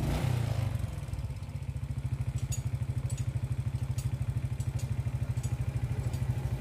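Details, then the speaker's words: Suzuki Smash motorcycle after air filter refitted (had been stuttering on throttle): even steady single-cylinder putter about three per second, no stumbles; healthy idle. "ini Langsa motor sudah bisa enak"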